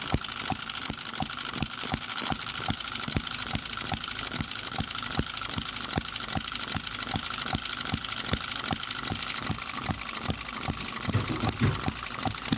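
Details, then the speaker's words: New Microcosm M96 "Oddball" 2cc hit-and-miss model engine with electronic ignition, retarded while running: crisp evenly spaced firing cracks with clean coasting and a longer miss cycle, a happier-running engine. "See the difference that made? You see that? Right away, that's got a longer mist cycle. That is a happier engine firing there."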